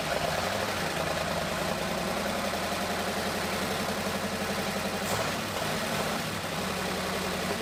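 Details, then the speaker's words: Abandoned 1962 Ford Thunderbird V8 running for the first time in over 20 years: a steady, even idle on all cylinders with timing spot on, plus light valve-train clatter common after sitting; oil pump priming if it persists. "But this thing sounds good. Timing's spot on."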